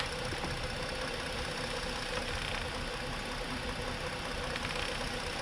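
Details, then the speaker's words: Ford 3.5 after intake manifold work, scan tool power balance test: steady idle with a faint uneven lope and occasional stumble. Cylinder number three is still misfiring at idle. "oh you know look at that we are still missing on number three we are still missing on number three you hear that you're still missing on number three"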